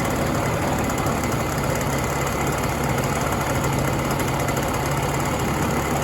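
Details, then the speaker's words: 1967 Ski-Doo Alpine twin-track snowmobile two-stroke, long stored, idling on its own fuel after a lean bog cleared with more fuel; steady, even idle with constant low hum, no spitting, normal idle. "I think it just needed to start running and then I gave it a little more fuel."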